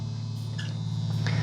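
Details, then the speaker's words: Guitar with new pickups through an amp: a constant low buzz that dies down when the input jack is touched, then returns on letting go. Mains hum caused by no ground wire from the bridge tailpiece to the grounded pots. "So that is the main issue with this guitar, is there is no ground."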